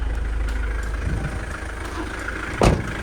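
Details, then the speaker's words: Mitsubishi Delica Space Gear idling after throttle body cleaning and gasket replacement: even, steady low idle with no misses, hiss or knocks; acceleration a little quicker and nothing unusual blowing out, running normally. "The acceleration is a little bit quicker than it was. And it's not blowing out anything out of the ordinary,"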